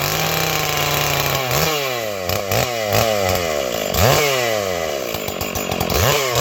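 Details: 461 chainsaw, ported and rebuilt with new Caber rings and a repaired spark plug hole, carb possibly slightly rich: sharp high-revving buzz bogs slightly into each cut and snaps back to full revs; pulls strongly and sounds healthy.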